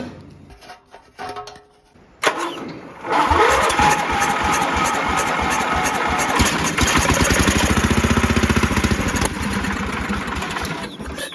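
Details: Toro Groundsmaster 52 just fitted with a replacement vintage Briggs & Stratton 16 hp cast-iron single: slow cranking, then rough, uneven firing for several seconds; only partly running, weak starter suspected.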